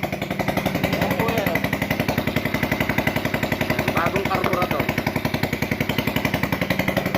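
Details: GY6 scooter hard start: steady starter chugging at about four beats a second that never catches into a run. The cause is not confirmed.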